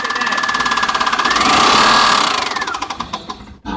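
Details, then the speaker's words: 2000 Honda Odyssey with water found in engine oil and cylinders, first start after spark plug work: quick even knocks about three per second over the revving engine, growing with throttle; engine knocking, cause not confirmed. "That doesn't sound right."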